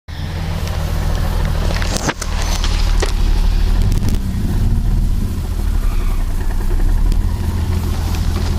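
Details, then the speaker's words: BMW E30 M20 engine after losing power while drifting: loud lumpy idle with uneven, stumbling beat, suddenly lost a couple of cylinders; compression test later showed 0 psi in cylinders 3 and 4 with air passing between them. "all of a sudden I lost a couple cylinders when I was like calm that's weird I don't usually lose a couple of cylinders"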